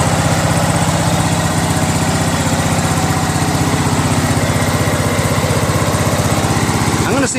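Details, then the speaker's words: Craftsman LT1000 lawn tractor, 21HP Briggs opposed twin, idling after governor adjustment; lopsided chug about four beats a second with vibration, one cylinder not firing, its exhaust only warm and spark plug wet and cold. "so I don't think the cylinders running that's why the vibration because it's an opposed twin right"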